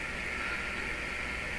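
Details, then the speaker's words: German console radio after repairs, FM antenna leads removed to weaken the signal: a steady, even, bright hiss, because the signal is too weak to activate the limiter. "you still hear noise in the signal which means the signal strength is not enough to activate the limiter"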